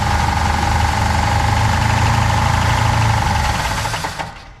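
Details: 1966 Pontiac Catalina parked 20 years, no radiator, belts removed: harsh steady metallic rattle about four per second over idle, mimicking rod knock; apparently the torque converter balance weight hitting the flywheel cover.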